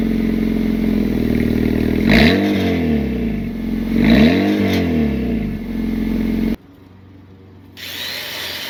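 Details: Engine of a 2007 car running, raised on jack stands, with a ticking, puffing exhaust note that swells on two quick revs; suspected exhaust leak, possibly linked to running rich, P0172 and power loss.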